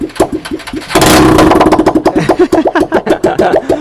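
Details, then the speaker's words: Honda XR150L first start after carburetor re-jet (main 110, pilot 38), airbox de-restricted, midpipe removed: starter crank, engine catches with loud burst and settles into uneven popping idle; it starts and runs. "oh the bubble machine but it does start so that's good"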